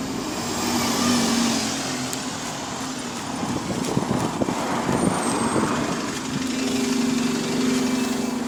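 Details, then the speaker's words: MMC bus on route H37, heard pulling up: faint steady whine over the diesel as it slows amid street noise; observer suspects turbo leak, unconfirmed. "And then I hear this thing pulling up with a turbo leak too."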